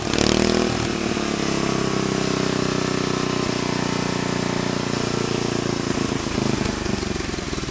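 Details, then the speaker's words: Old Troy-Bilt Horse tiller's engine, revived with valves cleaned, new plug and carb adjusted, runs steady, loud and slightly rough under load after the seized tines freed; both ranges engage and the tines spin, though the disc smoked in reverse. "It freed itself up. Both high and low range are engaging. The tines are spinning."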